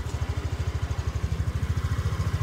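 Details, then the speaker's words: Used motorcycle; low, even single-cylinder idle thump with no ticking or stumbles: very smooth, healthy normal idle. "máy êm lắm, rồi máy quá êm"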